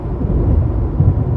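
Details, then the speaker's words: Car cabin at speed filled with a constant deep roar, with nothing mechanical standing out, plus some A/C buzz. Excessive wind noise, which the owner attributes to no sound deadening. "If you don't have music on, it's like unbearable. Honestly, this is worse than my truck that I had before."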